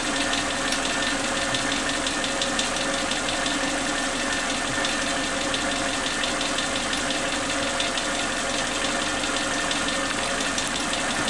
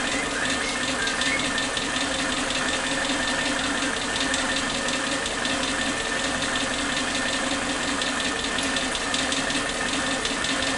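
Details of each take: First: Suzuki Katana car after new spark plug leads replaced the faulty old ones: a smooth, steady idle with an even hum and no rpm dips or exhaust popping. The engine now runs healthy. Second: Suzuki Katana car with unstable idle rpm: uneven hunting idle with irregular popping stumbles, a misfire caused by worn spark plug wires. Replacing the wires stabilised it.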